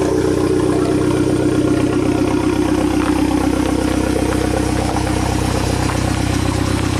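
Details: 2015 Fiat 500 Abarth 1.4L turbo, 67k miles: steady, even idle with light mechanical clatter and no knocks or misses after the failed turbocharger, which had been pumping oil into the exhaust, was replaced with an aftermarket unit.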